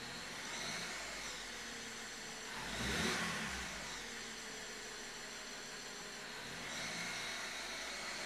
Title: Komische Motorgeräusche BMW E93 330i